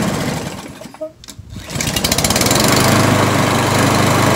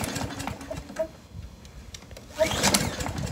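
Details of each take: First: Briggs & Stratton 675EXI on a Poulan Pro PR675Y22RHP mower, after filing the choke lever so it no longer sticks open: brief crank, then a steady, even run with no misses or surging. Choke closes cold, opens once running; working normally. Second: Briggs & Stratton 675EXI on a Poulan Pro PR675Y22RHP mower: uneven recoil pulls and a brief whirring spin, never fires. The plastic carburetor's choke lever sticks open against the metal bracket, so it won't choke and won't start.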